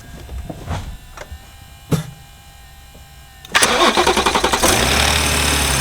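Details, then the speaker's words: BMW G30 B58 just after camshaft follower replacement and fuel pump refit: a few short cranks, hesitating because fuel pressure is gone, then it catches and settles into a smooth, even idle with no ticking; normal start. "the first time you start the car it's going to hesitate because there's no more fuel pressure so give it a few times try to restart it and then once it starts it'll go back to normal"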